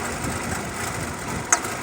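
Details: 2014 Nissan Altima with codes P0011 and P0014: uneven, unsettled rough idle with a sharp pop near the end; exhaust camshaft timing oil control valve stuck open.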